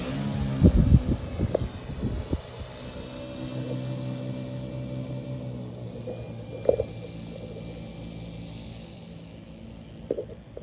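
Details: CY Models 100" Cessna Bird Dog RC plane with electric conversion on a 10S battery, taxi test at part throttle; low, even motor hum with no grinding, rattle or surging. The electric drive sounds normal.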